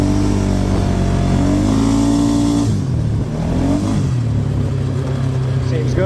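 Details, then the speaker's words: 2018 Polaris Sportsman 570, limp mode from code 520194-2 (open-circuit throttle safety switch) fixed by wiring two resistors into the plug: engine climbs cleanly in pitch and drops back to a steady idle, free-revving with no cut-out. "it's not in limp mode anymore well it worked"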